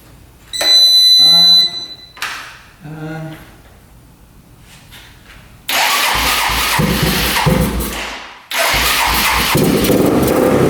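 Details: Rough $400 4x4 ATV sitting for years, old premix-looking gas siphoned, first start on temporary choke held with vice grips: catches, runs rough and loud, then dies without choke; owner suspects not enough fuel, fuel screw to go out, float height fine.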